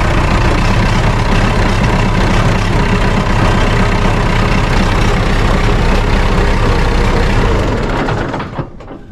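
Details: John Deere 450C diesel dozer, first try after fitting a new smaller gear-reduction starter and new fuel filter, out of gear: steady heavy churning at about four turns a second for eight seconds, then stops; the new starter spins the engine strongly.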